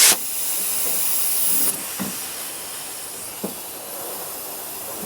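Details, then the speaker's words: Leak-down test with shop air on one cylinder, rocker cover off, listening at crankcase: steady air hiss then faint bleed, a little air passing the piston rings; compression earlier within 4% across cylinders. "now can you hear there is a little bit of air passing through that cylinder"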